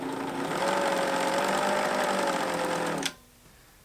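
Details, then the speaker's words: Pfaff Hobbymatic 807 sewing machine stitching: fast rhythmic clatter about four beats a second over a steady whirring tone; still noisy after lubricating the gears, cause unresolved. "so this machine isn't uh not working uh but it is noisy still"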